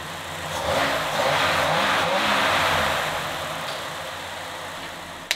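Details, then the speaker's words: 1949 Shoebox Ford original flathead V8 first start after years dormant, with rebuilt carburetor, new fuel lines, and spark gap corrected after it previously would not run: catches and runs evenly, revs climb smoothly and settle without misses or knocks; running like a champ. "And without the right gap, it wasn't getting the right discharge to the cylinders, and it wasn't running. As you can see now, it's running like a champ."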